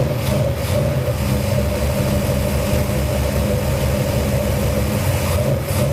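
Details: New Edelbrock VRS 850 carburetor on out-of-box settings, first cold start on a 451 big-block Mopar in a 1978 Dodge D200: steady, deep, even loping idle, a little slow; floats look a little high, idle air being adjusted.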